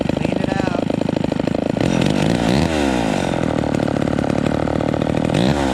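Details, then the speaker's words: Vintage Homelite XL12 two-stroke chainsaw during carburetor tuning, after setting the low-speed mixture: revs up crisply and drops back to a steady idle without stumbling or loading up; good throttle response; normal idle and throttle response. "um so see that sounds pretty good we got we got good throttle response and it's idling without loading up"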